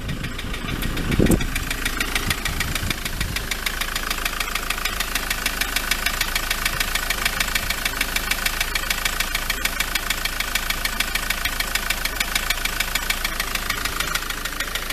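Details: MK7 Transit 2.4 RWD diesel, warm idle, bonnet up: loud steady knock about three sharp taps a second, seemingly from the front; pulleys checked and not loose, turbo wondered about; owner suspects dual mass flywheel, still investigating; engine knocking at idle.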